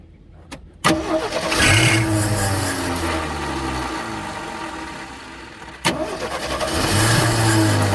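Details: AMC Hornet inline-six parked for years: short crank then fires and settles into a low uneven idle, blipping once more; runs after fuel poured into the bowl, harmonic balancer coming apart and vibrating.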